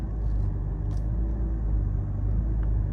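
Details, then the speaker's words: Mercedes S600 V12 at idle: deep steady low growl carrying through the body, worn motor mounts resonating into the frame, worse under power steering pump load. "The motor mounts are resonating through the frame of the car. See if you can hear that. Can you hear that growling?"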